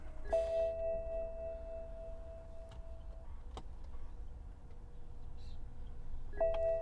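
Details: 2010 BMW 535i GT recognizes the key and chimes twice in a quiet cabin, but there is no starter sound and no crank; the rear suspension air pump runs.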